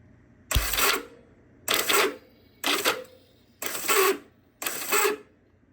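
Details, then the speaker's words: Vintage Honda CB450 motorcycle in neutral: five short whirring bursts, starter spins freely but never turns the engine; starter clutch (springs, roller bearings) won't grab, junk, awaiting replacement parts. "clutch is not it just won't grab hmm so this dude right here is junk it's not working anymore"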